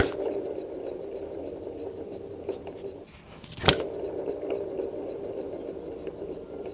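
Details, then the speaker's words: Alfa Romeo 159 2.0 JTDm, engine off, microphone held down by hand-spun AC compressor pulley while chasing a chattery noise (alternator clutch checked fine): dry, gritty rasp with sharp click; pulley bearing rough and worn. "I'm trying to look what else might be the problem and what else might be uh doing that chattery weird annoying sound."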